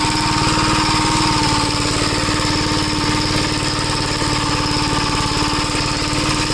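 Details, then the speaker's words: 1961 Gravely Model L tractor after carburetor repair and richening: single-cylinder engine holds a steady, even chug without hunting or surging, and the newly hooked-up governor linkage is working. "I kind of I kind of just want to make sure the governor works. Uhoh. Got to go back. Yeah, the governor. It sounds like it's working. Yeah, it is."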